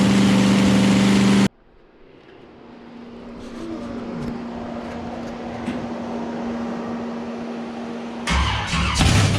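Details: Chevy small-block nitrous drag car engine, first-ever run, cold: after a loud burst, settles into a steady, lumpy low idle with even beat and good oil pressure; runs healthy but needs carb tuning, earlier nearly dying on throttle.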